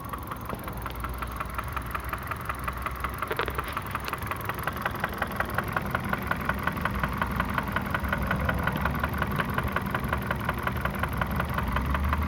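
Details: KIA Ceed 1.6 at 62,000 km: sharp regular engine knock about three per second over a steady idle; cause unknown.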